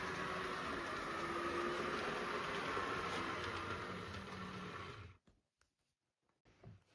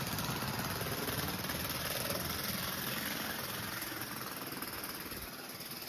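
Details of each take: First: Atlas model train locomotive with all-wheel drive and a metal chassis: a soft, even motor whir that starts right up, with no rattles; runs smoothly and quietly. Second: Budget Bachmann model train locomotive at full power, struggling to pull cars: fast, fairly regular clicking, about four per second, over motor buzz from cracked gears likely to split; no replacement parts available.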